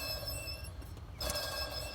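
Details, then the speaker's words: 2005 Cadillac Escalade 6.0L with a squealing belt, belt removed: hand-spun idler pulley rings and whirs with a gritty metallic edge from a bad bearing; the tensioner pulley barely spins. "that bearing's bad and then the tensioner pulley over here won't barely spin you can't even get it to spin so I'm glad we bought both of them"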